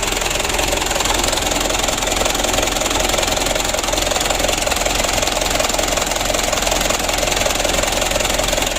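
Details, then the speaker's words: Mitsubishi Canter 136 PS HDL diesel, 6-ton truck, after repairing diesel leaking into the engine oil and refitting the injection pump plunger: restarted, steady even diesel clatter at idle, which should sit between 600 and 700 rpm. "Alhamdulillah untuk hidupnya sudah lumayan bagus ya"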